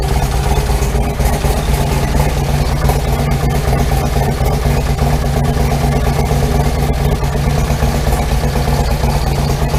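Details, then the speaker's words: Harley with big bore, cams, tuner, recently replaced exhaust pipe, idling: loping V-twin with fast tinny chatter over the exhaust beat; owner suspects a loose heat shield, unconfirmed. "i've got a noise in the exhaust i'm pretty sure it's coming from one of these heat shields because this pipe was just i just put this pipe on there not that long ago"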